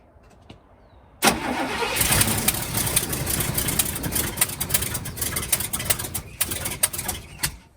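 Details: 1971 Cadillac Coupe de Ville sat 15 years, first start on starter fluid with fresh 91-octane fuel in tank holding white sediment: catches, runs ragged about six seconds, then dies; owner suspects not getting fuel.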